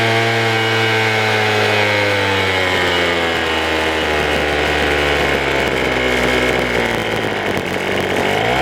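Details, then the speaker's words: Craftsman two-stroke blower, choke on, first start: high buzzy note sagging over several seconds as if starving, dying at idle; low-speed mixture suspected, needs opening. "we've got I love we need to adjust the low because it is he's dying the right one"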